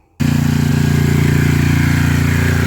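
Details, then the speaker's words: Coleman Powermate 6250 generator, running after the second pull with proper bolts replacing baling wire: steady, even drone with a regular low pulse and no surging or rattles; it runs normally. "yeah second pool they fired right up y'all can see I got it running right now definitely better with them Bolts versus that bailing wire"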